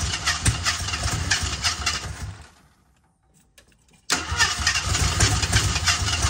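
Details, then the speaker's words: 1978 AMC Hornet, first attempt after hooking up a battery and adding gas. The engine catches and runs ragged and uneven, dies off to silence, then fires again roughly. Owner wonders if the firing order is wrong; cause unknown, plugs to be checked. "could it be could it be that it's out of uh the that the uh firing ORD is wrong kind of sounds that way right now but I don't know we'll see"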